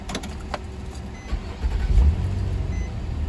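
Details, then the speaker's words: 2004 Nissan Maxima after crank-no-start/hard-start repair (connector reinstalled, codes cleared), repeat restart: brief crank, fires almost at once, settles into a low smooth idle rumble; healthy quick start, no more hard start. "Here it one start right there. No more hard start. 1, 2, 3, boom, the car start."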